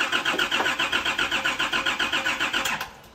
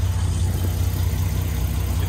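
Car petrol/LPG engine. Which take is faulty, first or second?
first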